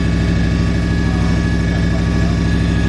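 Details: 2012 Ram 1500 Hemi, first start after cam swap (FRP Tomahawk cam, Hellcat lifters and timing chain), steady 1500 rpm high idle: hard rapid metallic knock over engine, torque converter bolts striking the flexplate; plan to remove bracket and pry it back.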